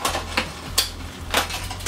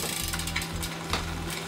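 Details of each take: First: Shimano mechanical front derailleur on a road bike, checked after adjustment with deliberately rough shifts; crisp clicks and chain clatter, no overshift going in or coming out, no rubbing, clean front shifting. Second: Bicycle in lowest gear, chain on small chainring and biggest rear sprocket, cranks turning: scratchy rasp over the chain whir as the chain rubs the front derailleur's inner cage plate; inner set stop screw not yet adjusted, winding it out stops the rub.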